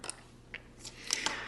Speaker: once it's in the correct position when you rotate this back and forth you should hear it clicking and it should kind of stop at each of the different stops in here